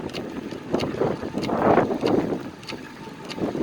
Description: Ticking sound after getting new tires glued onto a ten-year-old pair of Zipp 404 carbon tubular wheels. It continues when coasting, eliminating the drivetrain as a culprit.